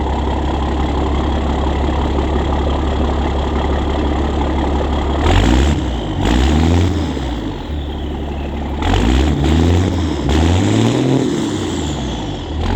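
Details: 2004 International school bus conversion with a 2002 DT466e 7.6L inline-six turbo diesel, pre-emissions, after muffler removal. Deep, loud, rumbling idle with a raw open-pipe exhaust bark.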